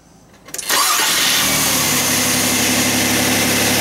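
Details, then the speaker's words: 4th-generation Nissan Maxima after starter motor replacement (it previously cranked slowly with an abnormal noise): a brief quick starter whir, then it catches within half a second into a smooth, even idle. A normal start and idle. "good shot it go ahead and start it nice go ahead and shut it you go ahead and start you don't have to hold the starter on that long you know just until it starts good very good fix"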